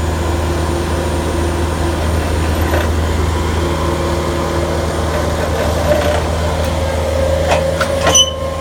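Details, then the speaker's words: Rig engine drone with rough grinding scrape and sharp bangs as a steel pile for a house addition on weak soil grinds and bounces on limestone; pile hitting rock. "He's already hitting rock now. How do you know that? You can hear it grinding. It's bouncing. So it's just limestone already."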